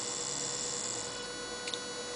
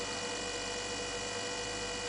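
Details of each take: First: 9 V max DC motor on Arduino Mega 2560 5 V supply, speed regulated by potentiometer alongside LEDs, no diode; steady even high-pitched whir with faint hum, no clicks or grinding, normal running. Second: 9 V max DC motor on Arduino Mega 2560, potentiometer turned down until it runs very slowly then stops; thin steady whine around 500 Hz with no running noise, stalled yet energized, pitchy PWM whine.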